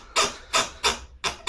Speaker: 梁这个位置松了，没有螺丝固定，然后这个你一用力的话，它就是横梁跟床边在相互摩